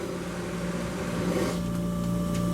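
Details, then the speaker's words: Shop-built cyclone dust collector, after a rebuild following an impeller failure, running at the band saw port: a constant-tone motor hum and airy rush rising slightly as the blast gate opens; pulling well, running smoothly. "once I turn that on you you can hear it fire up okay and uh this thing really really works good uh around my band saw"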